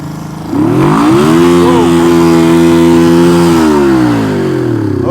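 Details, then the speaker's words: 1971 Honda CB350 twin, previously claimed to have low compression and one dead cylinder, now firing on both. It climbs from idle to very high revs and hangs there; a misrouted throttle cable is holding it open and must be rerouted. "that's a problem. We have to reroute this throttle cable because it just revved to the moon."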